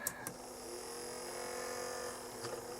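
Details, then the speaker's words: Tandberg TCD 310 three-motor cassette deck on reduced mains supply (55%), cassette bypassed, capstan motor pushed into running. Turning one spool makes the other spool's motor hum sag as it brakes. Owner suspects feedback between the opposing reel motors; not confirmed. "you can hear the other spool slow down when i turn this so there must be some feedback and it looked like it was breaking there"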